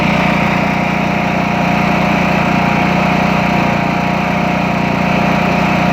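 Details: Craftsman T2200 tractor, Briggs 540cc single, just reassembled after camshaft replacement and warming up: loud, very even thump at a steady idle, no knocks or misses; residual silicone burning off, no leaks or smoke; healthy.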